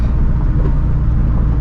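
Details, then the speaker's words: 2013 Scion FR-S with built FA20, Greddy turbo at 17 psi, on R888R tires all round, cruising at about 40 mph: a steady deep roar with no rhythm or whine, which is ordinary tire road noise. "because I am on the r88r tires all the way around so you can kind of hear it the um especially at high speeds"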